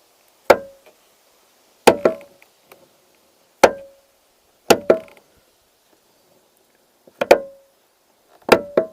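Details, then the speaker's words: Truck door opening and closing with a worn-out door check roller/cam that clunks as it rides over instead of rolling; six sharp wooden clunks, some doubled, per swing, from the worn door check roller. "so it seems that this piece is really worn out so as this rides over it is kind of clunking as it's trying to roll so that's just you know it's just worn out"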